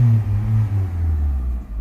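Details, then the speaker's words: 2004 Chrysler PT Cruiser Limited, in park, check engine light flashing when revved, previously overheating, new plugs: low rumble held at one modest speed, never climbing higher; revs capped, cause unknown. "there it goes Check Eng your light is flashing because I rimed it up it will not get no higher than that when I Rim it"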